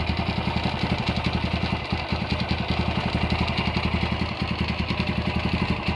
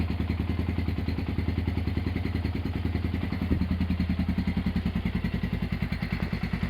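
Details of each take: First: Honda GL100 (GLK 100) engine from Palembang, stock CDI, before restoration: uneven rattling pulses ride on the single-cylinder idle from the clutch side, pointing to a loose primary gear. The head is fairly quiet; the engine smokes and seeps oil underneath. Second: Honda GL100 (GLK 100) engine from Palembang after restoration, with CDI installed, a new tensioner blade and idle raised: an even single-cylinder thump of about three and a half beats a second, no clatter. Smooth, healthy idle.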